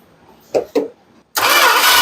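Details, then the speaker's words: 1978 Dodge Aspen that sat for eight years cranks but won't start. Spark is confirmed, oil is full and antifreeze is empty. Two short bumps, then steady loud cranking that never fires. The owner suspects a weak battery. "We should be getting something, but we ain't got nothi"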